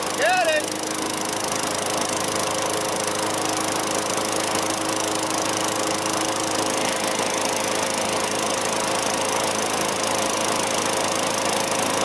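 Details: Vintage Craftsman 21-inch mower with 6.25 hp Tecumseh engine, after service with fresh oil, gas, lube and a fresh air filter: steady, even high-pitched drone holding one speed with no misses or surging; running healthily.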